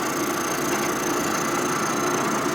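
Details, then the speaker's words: Boring a 1946 Harley knucklehead engine part during an 84ci stroker rebuild: steady scraping cut with slight irregular rise and fall, tool barely touching then biting heavier; uneven boring cut from off-center setup. "a lot of Machining you're doing by sound feel some Vision but mainly sound I can hear it's barely touching at all a little heavier right there"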